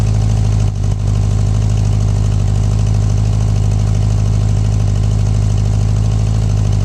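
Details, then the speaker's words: 1984 Honda Goldwing 1200 idling on a swapped-in 1985 Honda Prelude fuel pump, around 60°F. Deep, steady, even rumble with no ticking, stumbles or misses. "So far, it's running like it's supposed to. I don't hear no hiccups or anything"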